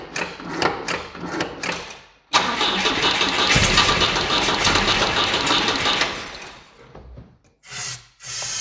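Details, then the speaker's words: Volvo 145 carburettor engine after new fuel pump fitted, started with brake cleaner after a short break: several short cranking bursts, catches, runs briefly unevenly then fades; hard starting, a recurring problem with these carburettors. "yes as you saw i had a small difficulties to started the engine i have had the same kind of problem with these carburetors before so after a small break it's a little bit difficult to start even with the brake cleaner"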